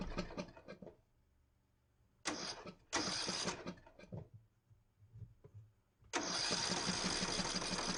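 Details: Ariens 42" geared riding mower, 17.5 hp Briggs & Stratton (31C707), Nikki carburetor, long neglected, restarted indoors, throttle at rabbit, smoking heavily: sputtering bursts, dies back, then lumpy uneven run; rough running, owner suspects old gas.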